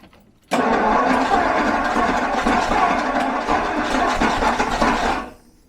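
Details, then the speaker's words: 1974 Jaguar XJ12 Series 2 carbureted V12, sat six years and running on 7 cylinders, with choke; starter churns nearly five seconds without firing, almost as if no ignition; timing later adjusted and it fired. "Almost as if there's no ignition."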